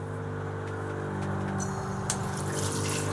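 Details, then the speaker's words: Water pump on a pressure switch in a converted van, feeding the shower and sink. A steady low hum and even whir sound under running water, with no surging or rattle and good flow. "So if you need water, you just turn on your pump, and there's your water flow."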